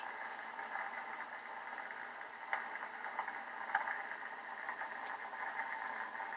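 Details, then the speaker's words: 50-year-old Heathkit SB-301 receiver after replacing resistors and capacitors, 40 meters, volume full: steady static hiss with faint crackles, no signal; LSB only noise, CW dead, AM loud and gritty; cause not yet found. "LSB I hear noise static I get that USB get nothing in CW and of course AM is just blaring a loud gritty also"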